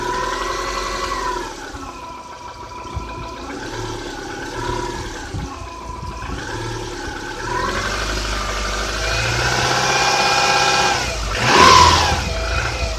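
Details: Subaru Outback EJ251 flat-four, 5,000 km after engine rebuild, Liqui Moly 5W30: revs and settles with uneven, irregular tapping under the engine note, quieting slightly when warm; engine knock of unclear origin.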